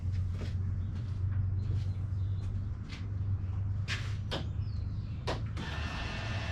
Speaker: We're outside. I've had Klaus probably idling for 15-20 minutes. Oil pressure's still good.